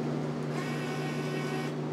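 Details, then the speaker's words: Untested auction Miller CP-300 welder with new MIG gun: at switch-on the fan kicks on and the wire feeder's steady low motor hum runs on without stopping after a tap of the handle, because trigger hold was left on. "all right so turn the machine on fan kicks on oh all right it's feeding oh that was weird I like tapped the handle and it started"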